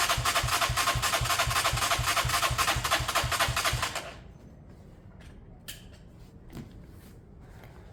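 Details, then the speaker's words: Beaten-up old Lexmoto bike with many parts missing, choke off and possibly sun-warmed: it fires evenly at about four beats a second for four seconds, then cuts out. The carb was found empty, meaning fuel starvation. "so I went to drain the carb and there was nothing in it"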